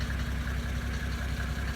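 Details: 1980s Mercedes-Benz diesel after rebuilding and pop-testing injectors with new nozzles: steady, even idle with evenly spaced soft pulses, no misses, knock or smoke; normal idle.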